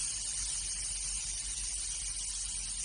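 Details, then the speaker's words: Carburettor float needle seat removed and blown through with a tube: a steady airy hiss with no pulsing as air leaks past the seat. This overlooked leak causes flooding and over-fueling; salty-water bubbles confirm it. "And you hear the air coming past."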